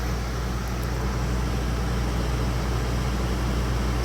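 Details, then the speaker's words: Old sealed RV rooftop air conditioner just recharged toward 50–60 psi, with about 75°F outside: steady low drone from compressor and fan with no rattles, surging or cycling; it is cooling again and refrigerant is heard in the coil. Normal operation. "I actually hear the refrigerant running through the coil right now."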